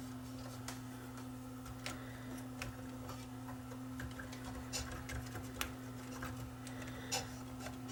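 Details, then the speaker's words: Yamaha CDC 645 5-disc CD changer, mechanism running during repair after rail cleaning: irregular sharp little clicks about every half second over a low steady hum; drive gear suspected cracked, crack then seen on the gear. "i don't like the sound of that you know i really don't like the sound of that that sounds like that gear might be cracked this gear here"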